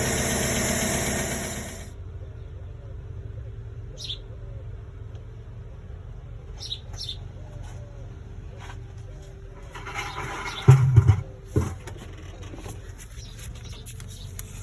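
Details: 2009 Chevy Silverado V8 at idle with a cylinder 4 misfire: faint, uneven light tick over a lumpy rumble, suspected collapsed lifter; not confirmed.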